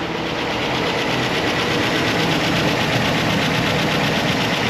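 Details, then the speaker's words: Idling Chevrolet Tahoe V8 with a steady, fast light ticking over the engine hum: a bad lifter tick, quieter after oil changes and additive but not gone; new lifters and a cam swap are planned. "You can hear that lifter tick pretty bad. And like I said, while it's gotten better, it's not gone"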